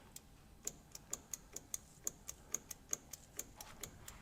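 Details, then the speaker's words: 1961 VW Beetle barn find, ground lead put straight on the battery: sharp, dry clicks about three or four a second with no cranking. A ground issue is suspected, so they jump the ground. "Okay, so we're just jumping this real quick because I think it's a ground issue."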